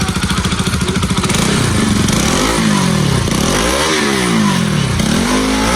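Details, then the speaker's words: Bajaj Pulsar RS200/NS200 after timing (distribution) repair; it had stalled with a noise and no compression: revs up and down cleanly, smooth even exhaust note, no rattle or knock. "Ahí está, amigos, sin ruidos raros. O díganme ustedes cómo la escuchan."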